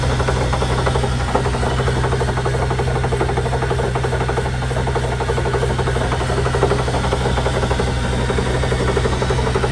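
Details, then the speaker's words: 2001 Chevy Suburban after a loud pop and jerk at 70 mph: rough rasping grind with fast churning rhythm over drivetrain drone, first suspected wheel bearing, traced to rear differential, cover removed. Finding: rear differential bearing grinding. "Sounds like it's coming out of the differential. So that's going to be fun."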